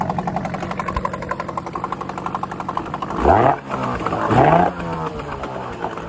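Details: Late-1970s/early-1980s Yamaha-built 8hp Mariner two-stroke outboard that randomly shut off, after new fuel pump fitted (more fuel flow seen): steady burble with smooth throttle blips picking up cleanly, no stalling; runs healthy.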